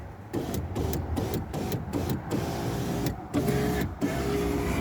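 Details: Window regulator after regluing the guide with Gorilla Glue and greasing the runners: short bursts of steady motor hum as the glass runs up and down, smooth with no grinding or binding; window working properly.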